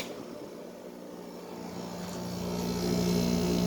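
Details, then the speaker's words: Old 5,000 BTU Fedders window air conditioner with mechanical controls, likely early 2000s, after a few minutes on high cool; low hum builds to a steady, even compressor drone with no rattles or knocks, putting out warm air at the back; normal compressor running. "this has a really nice sounding compressor that's putting out some nice warm air back there"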